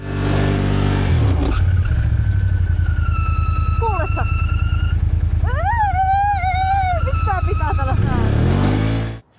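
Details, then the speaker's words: 2019 Can-Am 650 XMR ATV after water got into the variator: steady engine drone with a wavering high squeal rising and falling, smoke rising; wet CVT drive belt slipping in the variator. "I was surprised when there was a terrible noise from the variator, nothing happens. the belt slips and the smoke rises, no, what's the matter, at home it worked out, no water, it was quite loud there, the variator made a noise at that point."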